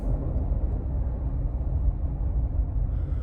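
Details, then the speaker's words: 2018 Subaru Crosstrek at about 55 mph after its rusted rear wheel bearing was replaced: only a steady low road rumble with no speed-rising hum, so the new bearing sounds healthy. "I don't hear anything so we're going about 55 doesn't sound like that hums there anymore"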